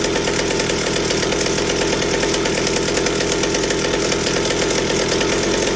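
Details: McCulloch 790 chainsaw frame with MC101 kart engine, new header and pipe, 3D-printed carb adaptor: hard buzzy flat-out scream never breaking into four-stroking; carb can't dump enough fuel at high speed, running lean at full throttle.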